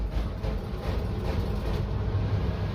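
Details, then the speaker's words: A furnace rumbles deep and heavy with a rough, uneven rattle that never settles, struggling enough to make the light flicker; left long enough it seems to shake itself free, cause unknown. "I can hear it struggling a little. It's making that light flicker."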